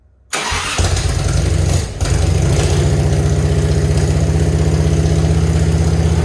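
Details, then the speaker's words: Grandpa's Harley-Davidson, off the road over 15 years, leaking oil under pressure; starter spins, catches at once and settles into a steady, even loping idle with clean regular firing. Normal idle. "It sounds good, though. I'll give it that."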